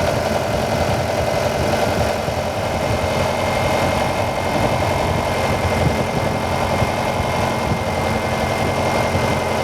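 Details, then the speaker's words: Car with a newly replaced hydraulic pump (BVH model) at idle after bleeding, fluid now clear, regulator valve shut: even mechanical hum, no grinding or irregular noise; pump building pressure normally. "Here we go. You can hear the pump working. And the car should now pump itself up."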